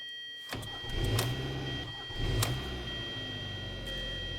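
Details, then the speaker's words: 2011 Hyundai Sonata 2.4L after repair of a no-crank no-start condition: a brief crank, a prompt start, a steady idle and a throttle blip. Normal start with no dash lights. "as you can see this is fixed guys the engine is running so i'm gonna give it gas so right there the engine sounds good"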